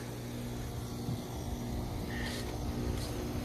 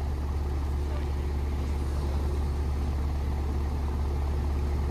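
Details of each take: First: 2013 ICP heat pump, 1.5 ton, outdoor unit, called for freezing: steady low rumble, then brief hiss and whoosh as the reversing valve flips refrigerant flow; ordinary defrost changeover, noisy but normal. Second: 2013 ICP heat pump called in for freezing up, defrost board replaced last year: a deep steady electrical hum for about 13 s with no run-up, then it cuts out. The compressor tries to start and fails; the capacitor is to be checked, cause unconfirmed.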